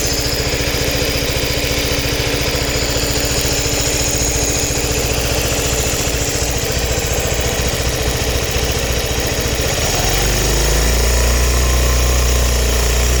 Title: Suzuki Burgman Ticking noise